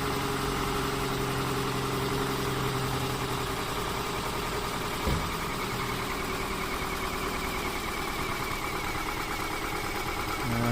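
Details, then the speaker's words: 2009 Toyota RAV4 2.5 at idle during labscope running compression test: uneven, lumpy beat with recurring stumble over a steady hum; misfire from leaking intake valve. "so yeah we have a leaking intake valve that's why it slopes that way"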